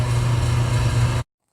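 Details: 1974 AO Smith copper natural-gas boiler, 160,000 BTU, first seasonal startup: circulator pump motor, due for oiling at front/back ports, gives steady strong low drone, even then stops; sounds healthy, normal running.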